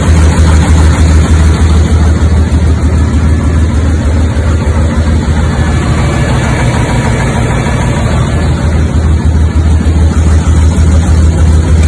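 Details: 1976 Tatra 813 V12 diesel truck, first start after about 20 years sitting, following engine rebuild with cylinders and pistons cleaned and damaged parts replaced: deep, even idle with steady low throb, no knocks or misses; runs healthy.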